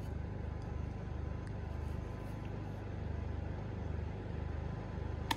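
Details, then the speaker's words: Champion 4250-watt open-frame inverter generator; a low steady drone with a gentle pulse as the engine idles up under added load from a 1500-watt heater and a 250-watt bulb. This is normal speed-up. "four you can really hear it idle up at that"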